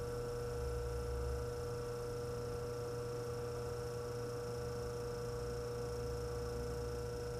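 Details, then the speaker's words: Antique Frigidaire 5400426 fridge compressor after service port install, rewiring and test refrigerant charge with a little oil: steady even hum, clean pitch, no knocks or rattles; current 3.2 A dropping to 2.3 A, evaporator cooling, running smoothly. "All right, I'm going for a start. Current's a little bit high, but it's running. Going down, that's good."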